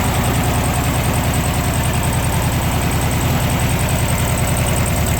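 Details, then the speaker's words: 1969 Karmann Ghia coupe, air-cooled single-port engine (likely 1500cc), cold start at 79° outside, engine temp 81; even busy idle with steady beat and fan hiss, no unusual noises or abnormal smoke, apparently newer tune-up parts, carburetor looks to have been gone through: normal idle. "Engine sounds good. Don't see any abnormal smoke. Don't hear any unusual noises."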